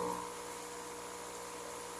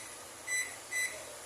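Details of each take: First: Electrolux microwave that blows its fuse when plugged in, running: loud steady hum with harsh buzz, transformer heating and smoke; the high-voltage capacitor is shorted. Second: Electrolux microwave that blows its fuse when plugged in and makes noise: keypad membrane test, pressing numbers then cancel gives two short, clear beeps with each press registering, so the membrane is good.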